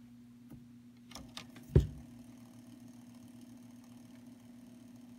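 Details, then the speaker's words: Realistic SCT-32 stereo cassette deck: after the power switch clicks, a faint steady low hum with no mechanism moving; deck hums at switch-on, cause unknown, and it also won't play. "so there's the sound that we're talking about nothing is actually moving in there"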